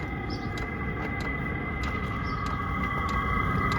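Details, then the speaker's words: Diesel air heater of roughly 2–5 kW, sitting on the garage floor, running on low speed: soft steady fan hum with a regular pump click about every 0.6 seconds, no uneven sputter and no smoke; running normally. "I can hear the diesel heater running on low speed now"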